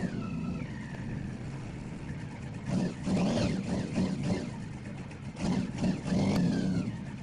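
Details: Honda Magna with VFR engine swap, 3rd-gen Magna carbs not designed for a pump, Bravex EP12S fuel pump fitted: engine stumbles and surges unevenly, won't settle or idle; pump makes carbs leak and flood.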